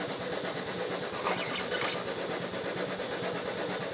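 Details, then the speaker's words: Used Duo-Art rotary vacuum pump (player piano) driven by a motor, unloaded before the vacuum gauge test: steady, even chugging with a soft rhythmic beat, no knocks or grinding; normal running. "And you can hear it chugging away."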